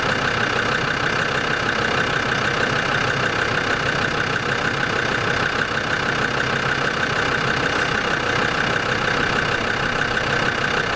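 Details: Land Rover Discovery 2 TD5 diesel at steady idle right after an engine oil change, with fresh oil and oil still slightly low; a smooth, even clatter with a faint constant whine and no knocks or misfires. It sounds quieter and healthy.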